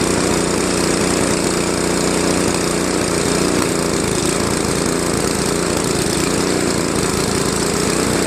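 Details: Craftsman Trac-Drive snowblower, Tecumseh Snow King 5.5 hp 195 cc engine, carb cleaned after a year's storage, leaking back gasket: pitch gently rises and falls at low idle; surging idle, later fixed with idle screw adjustment.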